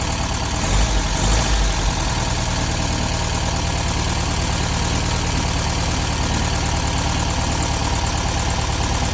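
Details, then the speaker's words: 1972 VW Beetle 1200 idling after valve clearance adjustment and new spark plugs, now running on all 4 cylinders; busy, packety tappet clatter about three times a second suggests the valves were set too loose and need tightening. "So you could hear the valve train noise there. Definitely think we went a little bit overboard with those valve timings."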